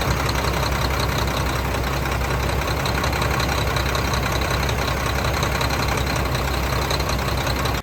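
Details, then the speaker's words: Mack diesel truck at idle: heavy, uneven loping beat about two to three per second; a clear fuel line shows massive amounts of air in the fuel. A new check valve and banjo washers have arrived. "hooked up a clear line and we're getting massive amounts of air"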